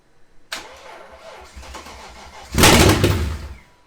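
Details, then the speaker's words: BMW 540i, first crank after reassembly on old spark plugs: engine catches with a rough stumbling burst, flares once more and dies; sounds like a dead miss, cause not confirmed. "It like flops for a second and then stops. Sounded like it had dead miss in it."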